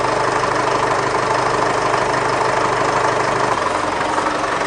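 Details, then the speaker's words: Mitsubishi Triton 2.5 L 4D56 diesel with overheating, idling with a pressure tester on the cooling system and air bubbles building pressure: loud clattery uneven knock about twice a second, engine running quite rough. "You can hear that noise as well. That doesn't sound overly healthy, does it? But just have a look at the pressure tester, see what it does. And the engine's running quite rough too."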